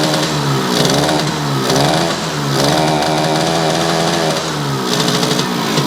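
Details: Yamaha YL2C 100 Trailmaster two-stroke, premix drained for straight gas, condenser not yet fitted: a slightly uneven, burbling, lazy idle that rises and dips, running rich while cold and starting to clear; the carb still needs readjusting.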